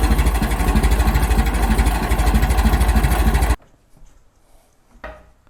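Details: Restored 1921 American LaFrance fire engine after its finished restoration: a slow, even four-cylinder chuff of about three beats a second for several seconds, then a clean switch-off; it is idling healthily.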